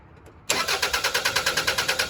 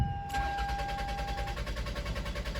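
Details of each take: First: 2001 Toyota Highlander 2.4L four-cylinder with extended-crank complaint, after replacing a leaking fuel part, fuel pressure gauge attached: brisk even cranking about seven pulses a second, engine starts quickly, pressure rises to about 50 psi; normal start. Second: 2001 Toyota Highlander 2.4L four-cylinder, check engine light on, fuel pump already replaced without fixing it: starter churns steadily about five to six turns a second for over five seconds before catching, an extended crank from fuel pressure loss.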